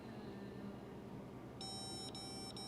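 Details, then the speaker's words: 2012 Chevy Malibu 4-cylinder with a used E37 PCM, checking the PCM grounds with a power probe; quiet room, then a high electronic beep pattern — tester confirms a good ground. "Guys, you don't see me use the power probe much, do you? So I think our ground's okay."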